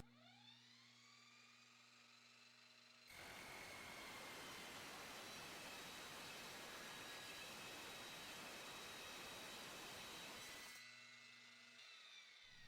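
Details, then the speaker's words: Dovaman DMS01C 10-inch sliding miter saw cutting rolled steel angle with the supplied blade: saw spins up, then harsh rasping screech for about eight seconds, blade chattering and shedding carbide teeth. "I really felt like at this point something was going to fly apart and a carbide tip was going to be embedded into my brain."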